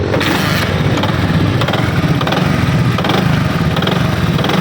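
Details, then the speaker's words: Single-cylinder motorcycle before repair: dull, regular knock over the exhaust beat when accelerating; mechanic suspects a worn connecting rod, not confirmed. "इस तरह लग रहा है कि इसके अंदर जो है ना कनेक्टर रॉड ख़त्म हो गया है, ये उसी की आवाज़ नज़र आ रही है।"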